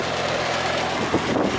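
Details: Trane XL14i condensing unit, oversized 3.5-ton, running after its fan motor was replaced with a one-speed rescue motor; steady, even fan rush over smooth compressor hum, no rattles or scraping; running normally.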